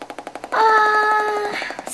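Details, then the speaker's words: Three-week-old Compaq Presario CQ50-130US laptop: rapid, evenly spaced Geiger-counter-like pops, about ten a second, through the speakers. The owner suspects a defective sound card; network cards also failed. Not confirmed. "last week on Sunday what happened it just started doing this and it sounds like a gager counter"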